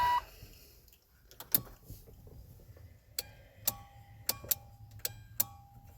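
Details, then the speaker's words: 1992 Chevy Silverado C1500 HVAC with no fan speeds: sharp dry clicks at uneven half-second to second gaps, no fan whir, even after replacing resistor and relay and confirming fuses and power at the motor; owner assumes a failed blower motor. "Still clicks. It wasn't the relay. It wasn't the resistor. So, I assume blower motor."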